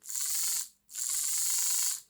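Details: Lima Class 55 Deltic model locomotive after refitting the gears and oiling the axles: two short bursts of shrill high squeal with gritty buzzing as the motor spins, attributed to a worn drive gear grinding.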